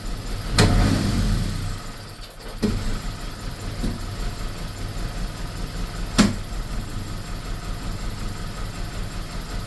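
Low idle with an uneven, lumpy beat, dips and occasional thumps; engine is hunting and missing, cause not evident.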